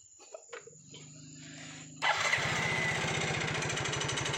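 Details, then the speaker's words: Yamaha Mio GT scooter: after starting it settles into a steady, fast clatter from the rear CVT side, still present after removing a part; the roller housing also contributes to the rattle. "ternyata teman-teman masih ada bunyinya teman-temannya besar teman-teman dengar tapi bunyinya itu bunyi ngelotok pada saat kita rendahnya agak kurang temen-temen"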